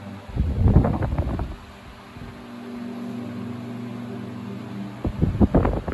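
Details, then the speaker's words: Restored 1950s Westinghouse Super Poweraire fan switched to low: soft steady hum and airy blade whoosh slowly tapering as the speed resistor warms and stabilizes; normal running for its age. "Let's put that low. You can hear it slowly tapering down. I'm sure as that resistor is warming up, it's using more and more voltage till it stabilizes."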